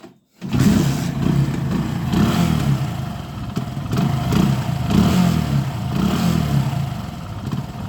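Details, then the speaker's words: Hero Passion Pro carbureted motorcycle that won't idle, dies when the throttle is released and runs only at high rpm. Held on throttle, it surges up and down every couple of seconds with misfiring from a wrong air-fuel mix; blocked carburetor jets. "ഇതാണ് വണ്ടിയുടെ issue. ഇത് miss firing, ഇത് കറക്റ്റായിട്ടുള്ള fuel burn ആവാത്തതുകൊണ്ട് അളവിലുള്ള air mixer കിട്ടാത്തതും ഈ ഒരു കംപ്ലൈൻ്റാണ്."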